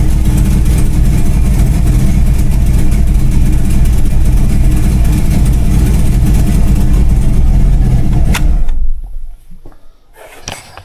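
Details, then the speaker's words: LS-swapped Chevy Blazer V8 at idle with a few blips: a deep lumpy exhaust note with a sharp puffing tick from an exhaust leak, to be fixed. "So, sounds really mean. There is an exhaust leak. I know everybody can hear that. I will fix that."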